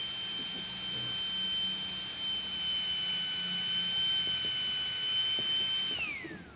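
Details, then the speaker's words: H4 LED headlight bulb (low beam PK chip, high beam XHP50, plain PCB without copper), chips dying and flickering: a steady high-pitched whine for about six seconds, then dropping as the fan spins down; excessively loud cooling fan. "Oh, kencang sekali, mati. Ya, jadi ada masalah ini LED ya. Kipasnya kencang banget suaranya."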